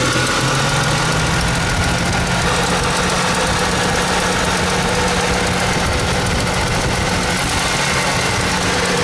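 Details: Mustang engine idling with a fast, light ticking over the engine note throughout; owner suspects lifter tick, persisting after thicker oil and Sea Foam treatment; cause unconfirmed.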